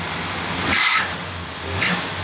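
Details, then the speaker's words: 1968 Plymouth Road Runner, restored 383 ci/335 hp V8, 727 automatic, about 10 miles since restoration, running: two short shrill chirps about a second apart; squeaky belt, perhaps from alternator charging hard on a low battery, needs adjustment. "Actually, it's charging hard, so it might just, the battery might be low or something. Maybe we made that belt squeak."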